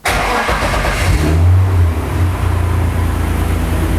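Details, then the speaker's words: Extensively modified BMW E36 race car being prepared for its first race: engine catches at once, revs up cleanly, then settles into an even, steady idle with a crisp exhaust note; sounds healthy. "she sounds pretty sweet that's for [Music] sure"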